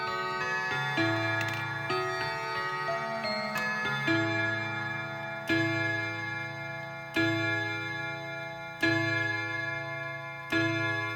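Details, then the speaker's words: Whittington chime on a Hermle mantel clock (late-1980s case) fitted with a brand-new Hermle 1050-020 triple-chime movement with bronze bushings, replacing the original 1980s movement: clear, even bell notes with steady decay; normal healthy chime. "Alright, let's see if we can get, we're going to be listening to the Whittington right now."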